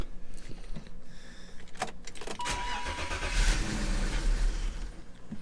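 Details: BMW E39, about 150,000 miles, sitting a while, no power steering fluid: starter bursts of cranking, engine never catches; cranks but won't start, owner suspects cold start valve.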